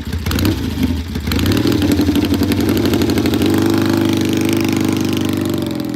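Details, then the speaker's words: Vintage British motorcycle, cold engine, on a test ride: fires unevenly and stumbles while pulling away before settling into a steadier beat; rough on takeoff, cause unknown. "sounds a little rough on the takeoff there the engine was cold so let's see what it sounds like when he gets back"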